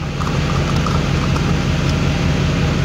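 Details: Diesel truck idling after FASS Titanium fuel filter and water separator replacement and priming, fuel recirculating to tank: steady low clatter, even rhythm, no stumbles or misses; normal idle.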